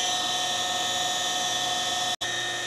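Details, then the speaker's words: Pentair/Sta-Rite Dura-Glas pool pump motor, old and also leaking water at the seals: loud, constant high-pitched whine over the motor hum; possibly worn motor bearings, owner plans to replace bearings or the whole motor. "so what I think we'll do is we'll pull this apart maybe try to replace the bearings I'm not sure this motor looks like it's been around a while"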